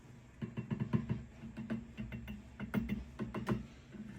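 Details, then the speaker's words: 1990s Peavey 5150 guitar amp, bought new, apparently original power tubes: steady low hum with irregular crackles and pops bursting through; worn, noisy power tubes needing replacement. "So these are all noisy as well. And they look original to the amp."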